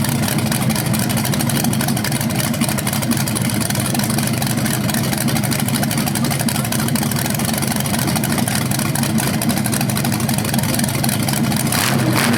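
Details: BluePrint 396 crate engine for a 1970 Camaro SS on its first run after oil priming and timing check: smooth, even, deep lope at idle with no knocks or ticks; no leaks seen, engine healthy.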